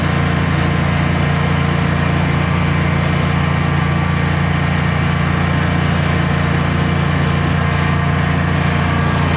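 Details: Generac Guardian 16kW standby generator, refurbished after exploded battery, running on gas under close to 6,000 W heater load: deep steady drone holding constant even note, no surging or stumbling; didn't even hesitate, healthy.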